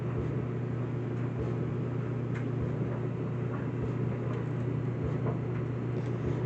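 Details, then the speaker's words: Whirlpool Duet steam electric dryer (WED9500TW, 240 V) drying a load of colors on the Normal cycle: steady low hum with soft, uneven tumbling thumps and no scraping or squeal. Owner calls it quiet; runs normally. "Also, once you start, and also this dryer is pretty quiet. Yeah, so it's pretty quiet. It's not too loud, I should say."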